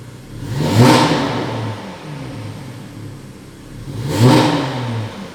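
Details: Porsche engine, two quick throttle blips each rising roughly then sagging unevenly, hinting at a stumbling cylinder; misfire suspected, not confirmed, scan tool suggested to identify cylinder.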